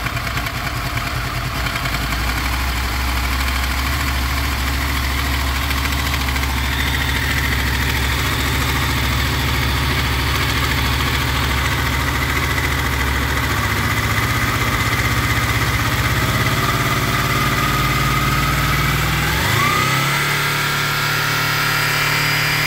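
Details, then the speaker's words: Honda VFR800 VTEC V4 motorcycle, 58,200 km, idling: light metallic knock heard mainly on the right side from the front cylinder, comes and goes with revs; timing chain rattle, later replaced. "причем звук хорошо слышен с правой стороны в основном идет с переднего цилиндра потому что здесь практически его не слышно"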